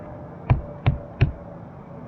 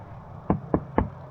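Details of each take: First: 1970s Mako 17 boat, tapping the fiberglass gunwale: four dull, low thuds that die quickly with no hollow ring. This gunwale is solid, though one side feels a little shot and the gunwales may have to come off. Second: 1970s Mako 17 boat transom that flexes, tapped by hand: three dull, hollow taps about a quarter second apart with no ring or solid thud; hollow transom from a completely rotted core.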